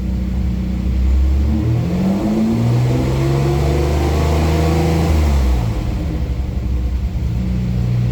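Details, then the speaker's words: 1988 Ford Bronco II after fuel filter and in-tank fuel pump replacement, revving: engine blips up cleanly and settles smoothly with no stumble or hesitation; now getting more fuel, normal throttle response, idle issue remains. "Oh yeah. That it responds so much better. It's getting more fuel. That's great."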